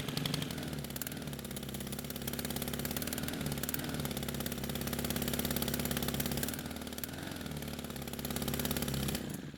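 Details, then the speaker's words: Stihl pole saw (pole pruner) small two-stroke, stored for years with fuel left in it: clatters at a fast, unsteady high idle, then stalls the moment the throttle trigger is squeezed; hardened carburetor metering diaphragm starving fuel, believed damaged by old fuel. "the moment I squeeze the trigger, it takes the carb off a high idle and it stops."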